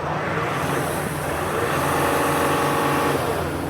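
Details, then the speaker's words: Mercedes GL-class, about 2009–2010, 3.0L OM642 diesel, towed in for intermittent crank no start and power loss, revved under hood: rushing hiss rising with revs; huge boost leak. "We have a boost leak. Oh, do you hear that? Do you hear that hissing sound? We have a huge boost leak."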